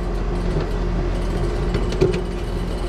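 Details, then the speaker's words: AC condenser unit with 244 volts, no cooling: running compressor gives a steady low hum with a rough, rattly, rocks-in-a-can edge and a knock near the end; system bone dry of refrigerant, compressor sounds unhealthy. "that compressor does not sound good I don't know if y'all can hear that sounds like rocks in a can this system ain't got no gas in it"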